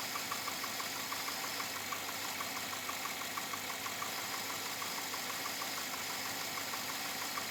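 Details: 2007 Chevrolet Avalanche at about 86,000 miles: steady idle with a light, regular ticking knock about three per second; owner unsure if it is engine knock or piston slap, unresolved after four dealership visits.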